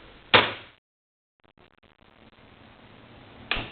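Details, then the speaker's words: Xpelair WX12 extractor fan with original 1974 FR12 controller, switch-on: sharp single clunk as power hits, soft fan whir, then another clunk; normal shutter solenoid clunk on switch-on. "I just want to hear that clink one more time because I'm sure everyone else does."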